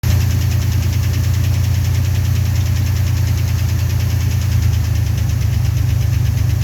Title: 1990 Chevrolet Cheyenne 4.3 knocking noise